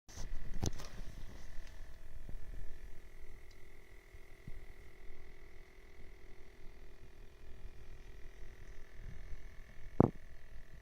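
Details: BMW E39, a faint, steady high-pitched whine with occasional light clicks from the center console in a quiet cabin; the source is unidentified.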